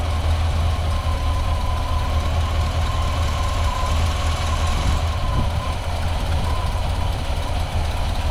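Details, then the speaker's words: Square-body truck V8 parked nearly 20 years: cranks with a steady low churn but never fires, with no fuel coming up. A later sound is suspected to be the fuel pump on the wrong hose, or a small exhaust leak. "you fuel coming up there no nope got no"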